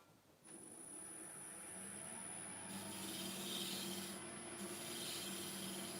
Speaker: So as I come round now to this far side, I can hear the vibration because it's still got a bit of a wobble around near where the faceplate is.